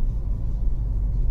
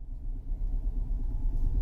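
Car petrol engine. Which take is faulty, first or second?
second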